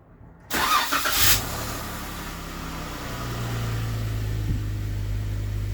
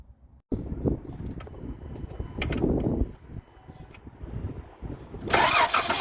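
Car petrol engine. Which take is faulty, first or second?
second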